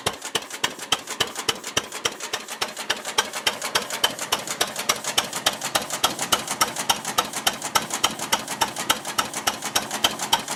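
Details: Ruston Hornsby model PR (c.1926), horizontal single-cylinder petrol/paraffin engine running on petrol, apparently first start in 5–6 years after the mixture was leaned from too rich: crisp, even ticking at about 105 a minute with little low rumble, a steady healthy tickover.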